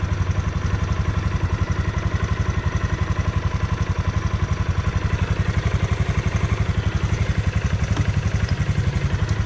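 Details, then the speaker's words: Yamaha Grizzly 600 ATV, just over 1500 miles, warming up right after an oil change to 15W-40 Rotella synthetic diesel oil (was 5W-40): steady, even single-cylinder thump at about four beats a second, no tapping or misses, quiet. Normal idle. "what do you guys think she sounds good so far she sounds pretty quiet too which is nice"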